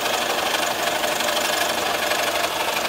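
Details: 2007 Honda Odyssey Touring 3.5 running with noise on the pulley side; busy fast ticking rattle about three per second, suspected timing belt tensioner, not yet confirmed; alternator also later found noisy.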